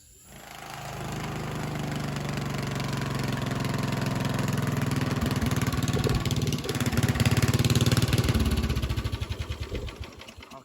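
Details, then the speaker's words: Cheap riding mower single-cylinder engine starts and runs unevenly, beats surging and stumbling near the end; carburetor float-holding bracket broken so fuel metering is set with the cutoff valve; could run a little better. "This cutoff valve here, the float in this carburetor, the bracket that holds the float up's actually broke, so you got to tune it with the cutoff valve."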